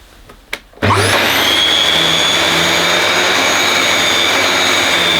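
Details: Dyson DC21 Motorhead canister vacuum, power head on carpet after cleaning: a couple of clicks, then a steady high motor whine with even airflow and only slight rattle, less rattly than a DC23's power head. Normal operation.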